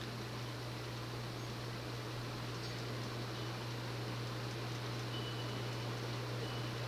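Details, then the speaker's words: Early-1980s CEC-built Progress Lighting Apollo 38" ceiling fan, 52"-spec motor with lowered capacitor so it spools up slowly, on high speed after coasting up: soft constant low normal motor hum, light rush of air, 60-cycle solid-state hum barely audible, no ticks or wobble. "a little bit of a like a normal motor hum, but again, you can barely hear the 60 cycle solid state hum."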